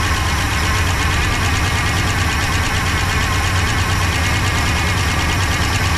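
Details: 1966 Pontiac Grand Prix, 389 CI, automatic, barn find unused about 30 years, first start on slight throttle with little fuel: steady but slightly uneven idle with ragged, fluttery edge, no knock; chewed spark plug wires; fuel pump not pulling.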